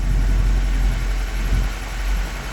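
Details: 1965 Ford Mustang V8 with Holley Sniper EFI and HyperSpark ignition, one of its first runs before radiator swap: low, even rumble with steady burble, no misses or surging; idling smoothly, AFR reading good on gauges.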